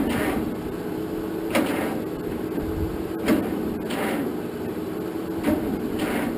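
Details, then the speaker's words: 1947 Farmall M tractor, first start attempt after rebuild, after charging battery for a while; heavy uneven thumps about every second as the starter barely turns it, no firing. Owner suspects battery lacks juice, not confirmed. "well guys I don't think that battery was any good because I could not get that thing to spin over any faster than it was"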